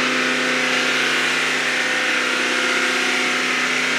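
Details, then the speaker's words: Mercedes GT63 AMG held stationary at about 3000 rpm for 2 minutes to test for returning fault codes: even hum with turbo hiss, no chain rattle or ticking; normal. "What I now need to do is rev it up to about 3000 RPM and hold it, because that's usually when the fault codes come back. On stationary, the fault codes do not come back. So rev it. Hold it for 2 minutes, yeah?"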